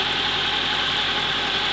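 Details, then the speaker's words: Toyota Corolla SR5 AE86 4A-C carbureted engine after head gasket, timing fix, oil change and coolant flush; smooth even idle with steady hum and airy hiss, no knocks or misses; runs good as new. "and there you have it my friends good isn't it like a lot of elbow grease a lot a lot of work but she runs good as new"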